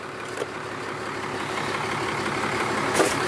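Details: 2012 Ram 2500 4th-gen Cummins diesel idling after a fuel filter change (Fleetguard FS43255; old filter about 5,000 miles). The idle is steady and even, with light clatter and no stumbling or odd noises. Normal diesel idle.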